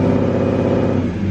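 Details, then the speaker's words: BMW E34 540i after fitting a replacement ZF transmission (the old one whined badly): smooth, quiet drivetrain rumble in gear with clutch out, no transmission whine and no exhaust leak; the gearbox sounds healthy and all gears engage. "yes no no noise oh my gosh i am so so happy right now let's see if we got all the gears yup that's all of them"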